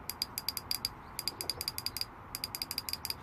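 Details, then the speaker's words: Fuel injector removed from a 2007 Ford Ka 1.3 petrol that sat parked for 2 years, bench-tested with 12 V applied: crisp, even clicking in quick bursts with clean pauses; the injector is mechanically fine. "he's obviously mechanically fine it's gonna leave it activate it and it's gonna blow"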